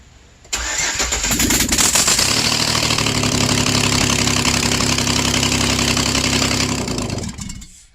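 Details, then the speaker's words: 2008 Express 4.3 L V6 first start after work, with the exhaust manifolds off awaiting welding and plug wires loosely fitted. Loud, raw crackling roar with sharp popping and flames from the open exhaust ports at idle. "I don't have the manifolds on it because I still have to weld them up. I want to crank it and see what it sounds like."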